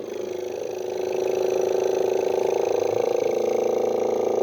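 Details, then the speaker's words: Vintage air pump switchable 12 V DC or AC, run on AC, hoses likely hardened: buzzing hum rising slightly in pitch and steadying as it warms and speeds up, tone changes at outlet, yet pumping feebly, little air. "oh there's the outlet there you can hear the tone change it's not really pumping much air"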